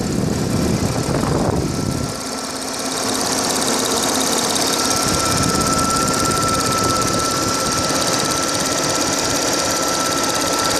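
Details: Audi A6 4F 3.0 TFSI at standstill idle, phone mic moved over the engine from above. Fast, light, uneven ticking with a thin high whine on top; something in the engine bay ticking at idle.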